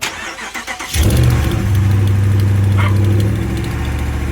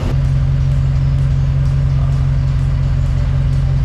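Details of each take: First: Dodge Ram 5.7L HEMI V8 starting and idling with fast, light ticking over the engine note; exhaust leak at passenger-side manifold, manifold studs known to break. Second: Dodge Ram 5.7L HEMI V8 idling after repairing the right (passenger) exhaust manifold leak from broken studs, warmed up: smooth even low rumble, no ticking or puffing; exhaust sealed.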